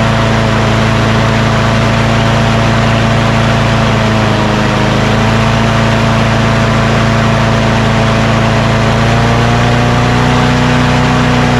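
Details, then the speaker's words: Craftsman push mower with Quantum engine, after rpm adjustment: steady mid-pitched drone at moderate speed with no hunting. Normal running speed; it was too high before. "she now that sounds much better before it was just too high"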